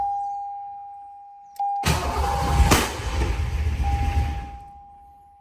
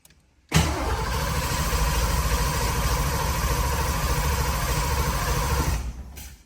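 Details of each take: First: 1986 Foxbody after throttle body swap and intake bolt repair: cranks, catches with rough uneven running for a couple of seconds, then dies; owner suspects new throttle body lacking drilled hole needs more fuel. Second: 1986 Foxbody Mustang after new head gaskets, new intake bolts and a throttle body swap, key cycled to prime fuel: steady, even cranking at about 3.5 turns a second for five seconds, no catch, grinding or clicks. Healthy cranking.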